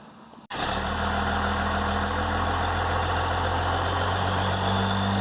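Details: Dodge Ram 2500/3500 Cummins diesel after removing the turbo silencer ring; catches and settles straight into a steady, even idle with a low hum and no knocks or turbo whistle; healthy idle.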